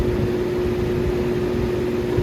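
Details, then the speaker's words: Lakewood model 225 box fan (2001 or 2002) on high speed after months unused in cold: constant mid-pitched motor hum under airflow; owner says it goes away after running a while and warming up, cause unconfirmed. "this goes on this fan it goes away uh if i have it on for a long period amount of time"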